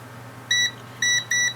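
Three clean high beeps, each lasting about a sixth of a second, one per press, so the fob's button switch is closing properly.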